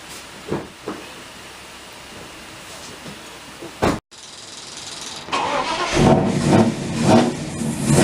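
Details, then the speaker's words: 2002 Mazda MPV V8 just after a DIY oil change: short crank, then a steady, even idle with no knocks or misses; sounds healthy. "Well, that sounds pretty good. And that's how you do an oil change on a V8 Mazda."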